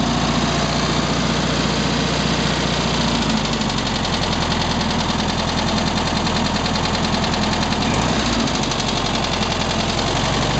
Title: 1967 VW Beetle engine knocking noise